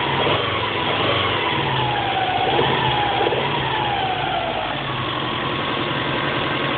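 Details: Subaru EJ22T short block with EJ25D heads, 470,000 km on bores and pistons, new standard bearings and rings 50 km earlier: warm idle with hollow irregular knock, barely present cold; excessive piston slap from worn honed bores, later rebuilt.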